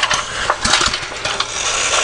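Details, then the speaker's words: Neglected garden-tractor small single-cylinder engine with a metal carburetor and auto choke, needs choking: catches on the pull and runs with sharp, even firing pops; starts readily with good compression. "I gotta get this engine going again it will start and run you can hear it's got good compression"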